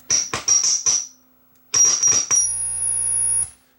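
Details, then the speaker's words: Marantz 1120 integrated stereo amplifier, loud high-pitched squeal through speakers from all sources at turn-on: stuttering squeals then a steady piercing tone; poor ground from oxidized dummy jumper jacks. "it's these dummy jacks they're not making a good ground connection interesting it's what it's going to be is it's going to be oxidation on the plugs that's going to be the fault"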